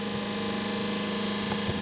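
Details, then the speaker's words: Schenker Zen 100 Touch watermaker powered by solar panels, newly installed, running at 7–8 bar: smooth constant pump hum, steady low tone, no rattling or surging; operating normally, no air intake or cavitation. "operating normally i can't believe the large pump is very quiet very nice"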